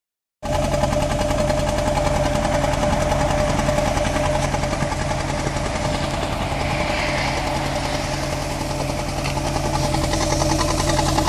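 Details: 2001 MK5 Ford Fiesta 1.25 Zetec idling unevenly with a lumpy, stumbling beat; rough idle from no compression in cylinder 2 and very little compression in the others.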